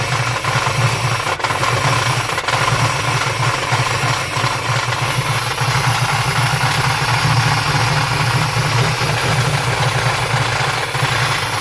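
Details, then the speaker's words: 1993-94 Chevrolet Silverado Z71 with swapped 350 crate V8 and 4L80E transmission: steady idle with a loose, uneven rattle and sharp knocks; owner attributes noise to the flywheel, timing kicking back, no smoke; knocking rattle at idle. "and that flywheel sounds rough timing to kick back on me a little bit that's why I don't want to run run do it anymore"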